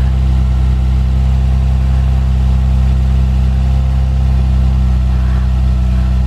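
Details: Manual Lexus IS300 inline-six with 169,000 miles, engine about to be swapped into another car, idling: steady, even deep constant hum with no misses or knocks; healthy, smooth idle.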